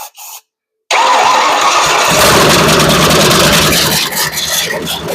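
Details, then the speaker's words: Ford 460 V8 after decades sitting, carburetor suspect, vacuum lines off, no exhaust fitted; brief cranking, then it catches with a loud, raspy roar running unevenly through open ports, smoky. Engine starts and runs. "hey run sounds good too. >> Well it means it has absolutely no exhaust."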